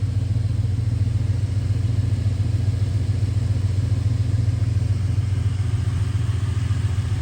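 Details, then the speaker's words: 1973 Chrysler New Yorker V8 at a proper idle: low, even rumble with a steady beat and no ticks, knocks or misses; smooth, quiet normal idle. "and here is the New Yorker at a proper idle as you can hear it's very"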